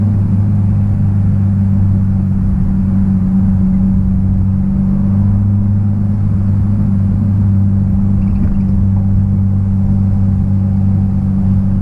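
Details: 1966 Triumph Spitfire, rebuilt 1147cc engine, driving after fuel system stripped and lines flushed: steady even low drone, no misses or stumbles as car pulls along; normal running, owner unsure what fixed it.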